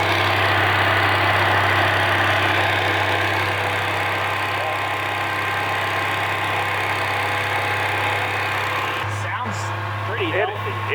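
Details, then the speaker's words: Roughly 78-year-old two-cylinder water-cooled Onan generator on first revival run, about 15 oil pressure, some noise thought to be from the fan: steady, even beat with no knocks or misses; sounds pretty good; normal idle. "it actually sounds pretty good yeah"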